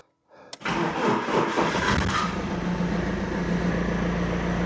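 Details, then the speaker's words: BMW E46 after sitting 5 years outdoors, restarted a few days after its first start: brief crank, catches within a second, settles into a steady even idle with no misses. Normal start and idle. "That starts up just fine."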